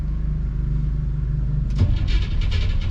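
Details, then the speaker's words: '57 with FiTech fuel injection reinstalled after warranty repair, first start attempt: steady low cranking drone, then ragged firing bursts join in but never settle into idle. Fires, rpm signal present, won't catch; hard start. "have an rpm signal it's trying to start i better go look for leaks"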